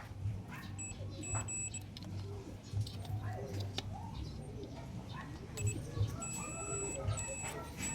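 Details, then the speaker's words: Yamaha NMAX 155 V1 that would not start: a multimeter continuity test on the wire to the starter motor gives two short high beeps, so the relay and wiring are fine; the starter carbon brushes were later confirmed worn. "Sa pagte-test ko nga ng relay at wiring connection, wala naman akong nakitang problema."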